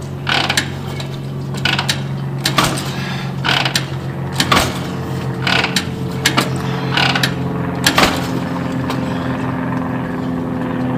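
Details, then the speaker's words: 1949 Harley-Davidson Panhead, original paint, poorly maintained, gum in carburetor: repeated kick strokes about once a second, each a short clatter with no firing; hard starting, owner suspects gummed carb and low fuel. "hey that's better little bit of gum in the carburetor ah come on Beast cow bastard okay this calls for war obviously somebody did not keep"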